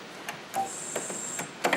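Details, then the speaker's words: Original Taito Double Dragon arcade cabinet bought dead: its switching power supply gives faint, irregular sharp chirps about twice a second with a thin high whistle, an abnormal fault, heard with mic held close. "So the power supply itself is making this chirping sound, which is not good."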